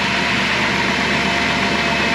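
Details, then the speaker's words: Cold idle of a Dodge Caravan 3.8 after a transmission fluid refill: a light, fast ticking rides over the engine hum, which the owner puts down to noisy lifters and valve train noise. "no worries it's just the engine it makes that sound lifters it's got some valve train noise going on in there"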